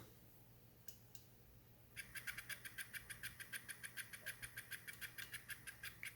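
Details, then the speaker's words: Coffee grinder (P64) at lowest rpm, burrs adjusted finer while running to zero point: sharp chirping ticks about three times a second over motor hum as burrs touch, used to check burr alignment. "the Grinders running so while it was running I adjusted it to the point where it starts ticking so I'll show you what that sounds like"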